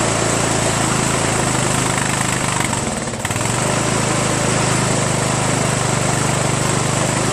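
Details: 1996 Craftsman LT1000 42 hydro lawn tractor, first run after new reproduction Nikki carburetor and starter, fuel mixture not yet adjusted: steady, even small-engine drone with fast regular beat, brief dip midway, then smooth again; healthy.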